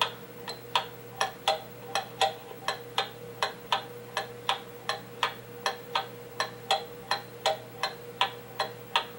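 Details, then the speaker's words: Pendulum clock tilted to the left to test beat: crisp steady tick-tock at about 80 beats a minute with fairly even spacing, nearly in beat, showing the crutch must be bent to the right. "now to me that sounds like we're getting a more even and equal steady even beat"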